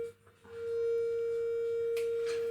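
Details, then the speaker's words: Intermittent Fender Deluxe Reverb combo amp being tested: a steady test tone with faint buzzy overtones, edged like a triangle wave instead of the expected sine; something is distorting, cause not yet known, scope check planned. "Sounds almost like a triangle wave, so I'll try it with guitar, but that sounds a bit sharp and something might be going on there."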